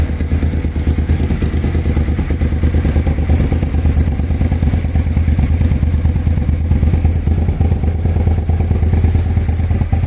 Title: Suzuki TL1000R start up and walk around after fixing a misfire at idle.